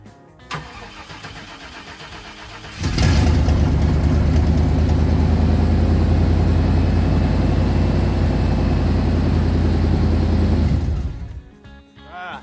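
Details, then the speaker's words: Old OBS Chevy service truck before maintenance: engine catches, idles about eight seconds, then dies on its own; stalling. "See, it died on its own."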